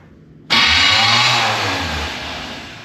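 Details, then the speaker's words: 1991 GMC Suburban R1500 with 168-tooth flexplate and offset-bolt starter: harsh, loud metallic grinding on cranking, engine not catching. Starter suspected and replaced. Suspected starter grinding on crank. "The reason why we're changing the starter is because it's making that horrible grinding sound."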